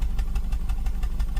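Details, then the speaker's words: 2007 Suzuki SX4 with check engine light and rough running, listened to at the tailpipe at idle; lumpy uneven puffing about six times a second, a misfire in one or more cylinders. "Yeah, definitely have a misfire somewhere. Okay, you hear that uneven pulse? That indicates that we have a misfire."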